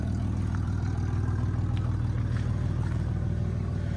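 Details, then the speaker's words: Red Camaro revived from a field, warmed up, with a hole in the muffler: low even exhaust pulsing about four beats a second, steady without stumbles; idling well. "There, she's idling great now."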